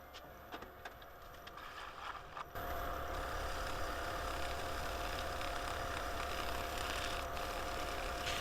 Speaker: You can hear that noise getting louder. I'm like, what is that? Let's have a look. As you can hear, it is getting a little thin.